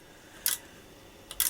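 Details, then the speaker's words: Wavetek 1281 8.5-digit multimeter after replacing a faulty 40224: two crisp, bright input relay clicks over a quiet hiss while switching input front/channel A/channel B, relays now working normally. "we're looking for clicking on those relays. So, let's have a look and see what we can hear. Yes. Yes. I'm [laughter] getting clicking."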